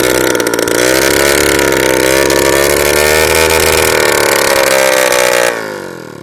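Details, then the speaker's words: Old Honda Lead scooter, first start in 10 years with new spark plug: loud raspy two-stroke buzz holding high then dying, stalling on its own; oil spits from exhaust, owner suspects carburetor set to maximum. "Aj, vyplo sa. No, vyplo sa samo od seba. Toto je strašné."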